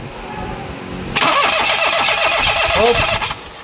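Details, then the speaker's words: Perodua Kenari cranks fast and steady about two seconds without catching; fuel is delivered but no spark at the plug, traced to a broken ground wire at the rear of the body. "Okey sekarang ni dekat PL tak ada api. Masalah api tak adaah leas tu dia tak boleh hidup."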